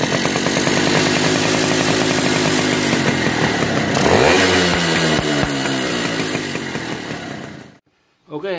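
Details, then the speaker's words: Yamaha V80 two-stroke motorcycle before repair, revved high: screaming engine with sharp, even puffing about four times a second as compression blows past the cylinder head; missing or damaged gasket or loose head bolts suspected. "Oke ini dengan kendaraan motornya ketika digas tinggi di bagian aha kepala babi headnya ini atau silinder head nya ini dia bocor kompresi"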